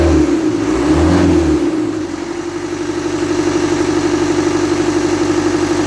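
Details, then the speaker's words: Land Rover Series 3 diesel, first start after long no-start, pump stop adjusted: catches, revs up and falls back, then steady clattering idle at about four beats a second. "so look well yeah she's up and running look at that"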